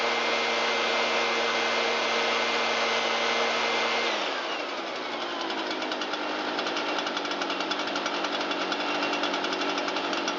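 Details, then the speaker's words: Shindaiwa EB802RT two-stroke blower after fixing a backwards-installed replica carburetor and fitting new fuel hoses and a used gasket; choke off, throttle applied: a steady high buzz that shifts smoothly and runs evenly without sputtering. Normal running. "Turn the choke off and give it a little throttle. Air out that crankcase a little bit."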